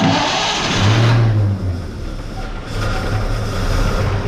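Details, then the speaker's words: Barn-find 1931 Oldsmobile F31 after fuel was poured into the carburetor bowl and throat: catches, surges in a short rev, then settles into a steady idle; runs fine on the added fuel. "there we go think that was a problem sound pretty good huh"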